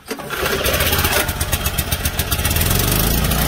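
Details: Junkyard small engine pressure washer, oil added and carburetor cleaned, started on choke. The single-cylinder engine catches within a second and settles into a fast, even putter without surging; it runs properly.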